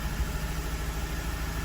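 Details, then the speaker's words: Mazda 6 2.2 Skyactiv diesel at idle with check engine light and no fault codes: lumpy, uneven throb of a distinct misfire, like running on three cylinders, engine shuddering; injectors later tested and coded and fuel replaced. "but you can hear a very distinctive misfire. So running on what I'd call 3 cylinders at this point in time."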